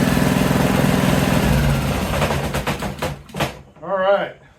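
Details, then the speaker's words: Honda small engine from a junk pile, rebuilt sidewalk edger, doesn't smoke: fires and holds a fairly steady putter a couple of seconds before winding down; runs properly after rebuild. "And she starts up, runs pretty good."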